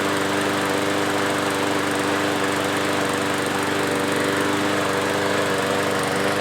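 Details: Yard-Man push mower, previously surging after sitting at least two years, after carb cleaning, new parts and blade sharpening: steady drone with constant pitch, no surging or hunting; holds speed smoothly, healthy.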